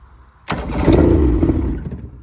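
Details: Yamaha 70 engine on half choke after priming: silence, then a sharp crank that bursts into a ragged, uneven run for a second and fades; the engine catches once primed.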